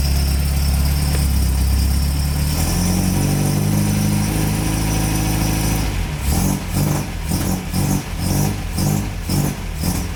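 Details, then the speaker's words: MGB after restoration, first run on the new exhaust (previously gapped at the cylinder head): a steady idle, then rev-and-drop, with an even firm note, maybe slightly rougher than the old exhaust. No blowing or misfire; healthy. "blue still sounds very nice still sounds very nice i love the old town of the car but the new one is very good as well it's very similar um but it might be a little bit more rough"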